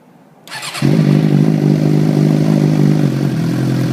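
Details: 2006 Suzuki GSX-R600 after M4 GP slip-on exhaust installation: fires quickly into steady even idle with deep throaty exhaust note; normal idle.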